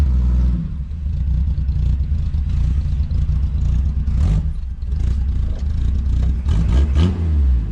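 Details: 1975 Plymouth Duster Slant 6 after carburetor cleaning/rebuild and temporary exhaust with cherry bomb style muffler: deep, throaty blips rise and fall cleanly with throttle, no knocks or ticks; healthy revving.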